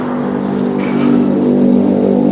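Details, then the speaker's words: Yamaha Jupiter Z engine with very dirty oil. The mechanic says the sound is not bad yet, still normal. An even, steady note rising slightly when revved, with no knocking, ticking or rattle: normal engine running. "cuma Moni cumaungti sih ini bunyinya belum seram Pak masih wajar lah lumprah"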